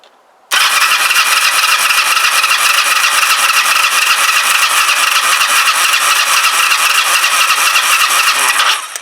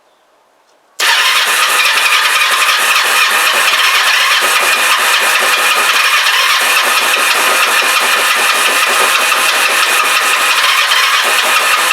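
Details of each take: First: Kawasaki GPZ500S twin, very hot engine, compression tester on cylinder two, throttle wide open: steady even starter cranking about four turns a second; reads 155, cylinder one 125. Healthy compression. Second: Kawasaki GPZ500S twin on brand-new fuel, starter button faulty: fires and holds fast, ragged, uneven firing beat, not settling to clean idle, vapor from back of carbs; rough running, cause unknown, timing suggested.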